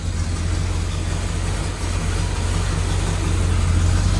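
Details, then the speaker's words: 1972 Corvette with 454 LS5 big block, sat for decades, fuel problem fixed but dies when throttled: deep, loping, slightly hunting rough idle; ignition or timing suspected, mechanical distributor being investigated. "It should start right up. And it's not idling too bad."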